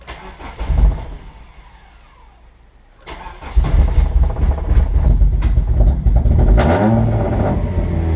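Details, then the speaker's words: Mitsubishi Eclipse 420A on Megasquirt, first start after wiring: catches and runs alright briefly, then surges and stumbles unevenly before dying; rough running and stalling, won't stay running, cause not yet known. "it's not very happy all right well it did run I do not know why it's so angry about something but it ran and you guys got to hear it now I need to figure out why it doesn't stay running"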